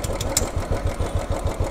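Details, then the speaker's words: New Royal Enfield Classic 350 carburetted single at warm idle after the idle speed was raised on the carburettor: an even, deep thump about six or seven beats a second, and the earlier tappet knocking is gone. Normal idle. "Did you see the tapet noise is gone? This is a perfect setting right now."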